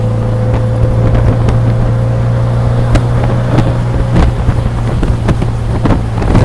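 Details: 1966 Triumph Spitfire MK2 on the road after spring radiator maintenance; steady even low drone with no knocking or rattle, wind buffeting over it; normal engine running.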